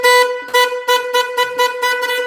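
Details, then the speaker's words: Old Ford parts truck with 302 engine, not running, during distributor work; horn blasting in repeated short bursts on its own, about eight in two seconds, until horns unplugged. Horn sounding on its own. "I'm sure the people watching at home on live really love to hear that noise stop it a distributor GE haha I unplugged the horns on him you deserve it"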